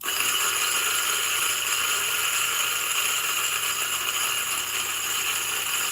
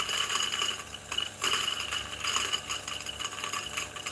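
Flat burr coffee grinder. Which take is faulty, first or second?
second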